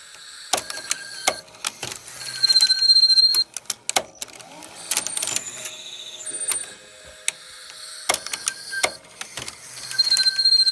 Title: NV-FS200 Squeaky noise not playing cassette